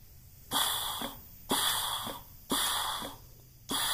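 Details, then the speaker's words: Pontiac TH350 transmission on the bench, valve body off, air-checking clutch piston through case passages: sharp air bursts easing into a soft hiss; piston strokes and holds pressure, slight hiss from pump sealing-ring leakage. "pumping up it's actually holding pressure you hear a little bit of a hissing but that's mainly because keep in mind keep in mind those sealing rings that go through the that are on the pump are where this passage has a seal"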